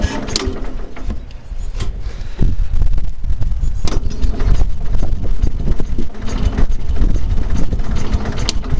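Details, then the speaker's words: 1974 Cub Cadet garden tractor, 14 hp Kohler single-cylinder: low, steady thump that picks up smoothly after a couple of seconds, no knocks; normal running. "this Run's good"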